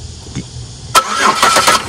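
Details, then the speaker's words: 2004 Chevy Impala LS cranked by jumping crank relay terminals 98 and 85: about a second of starter churning with uneven pulses, turning over freely but not starting. This shows the starter and relay-to-starter wiring are good; a security fault is suspected. "okay you heard that card did not start but you're getting your starter is good right there all the wires from this relay to your starter are good"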